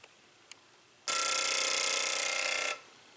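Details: 2009 Chevy Cobalt, injector balance/flow test after cylinder head valve job for P0300 misfire: quiet clicks, then a steady rapid buzz for about 1.5 seconds that stops cleanly as the injector pulses; pressure drops 49 to 33, normal injector.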